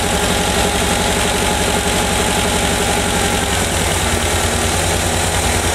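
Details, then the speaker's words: 1985 VW Vanagon petrol engine idling with vacuum advance disconnected and plugged; timing was slightly over-advanced, then retarded to spec. Steady, even idle settles slightly slower as timing is backed off; afterward revs cleanly without dying. "all right you heard it slowed down a bit now that when we check it it's going to be pretty much dead on"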